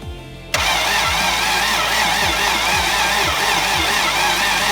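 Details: Toyota Land Cruiser FJ60 barn find, valve cover off, battery known good: starter turns the engine at a steady even pace with no firing; cranks but won't start.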